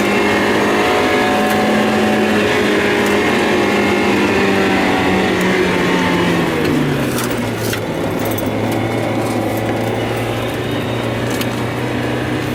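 Engine hums steadily, then the pitch sags and the note goes ragged around seven seconds, a stumble like a misfire.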